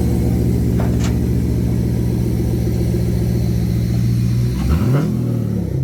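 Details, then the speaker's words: Auction car with catalytic converters cut off the exhaust: very loud, deep booming drone at idle that swells as revs rise; exhaust drone from removed cats. "Oh, it sounds awful. Oh, Rich, what did I do? Oh, the car cut it."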